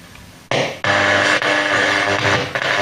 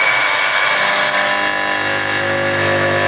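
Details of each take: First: Abandoned Blaupunkt car radio from a Mk3 Ford Cortina: after pressing the medium wave button, a station comes through clearly with music and light hiss. Medium wave reception is working. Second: Abandoned Blaupunkt car radio from a Mk3 Ford Cortina, powered up with a hand-held antenna: loud steady static and hum at constant level. The volume control is seized in the full-on position.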